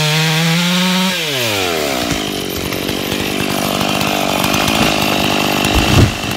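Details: Stock MS461 with eBay ported muffler, well worn, over a year of cutting; hand round-filed chain used a week, no touch-ups; felling cut in big northeastern red oak, camera a ways back. Full-throttle scream holding steady revs, no bogging or chatter: sharp chain cutting normally.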